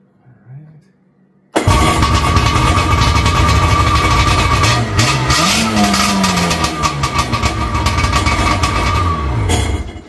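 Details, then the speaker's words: 1996 Sea-Doo GSX 787 two-stroke, out of water, after carb, pump and oil line work: catches straight away, crisp idle set near 3,000 rpm, one brief rev; runs clean. "she runs. We set the idle close to 3,000 RPM. You want that about 3,000 out of water and about 1,500 when it's in the water."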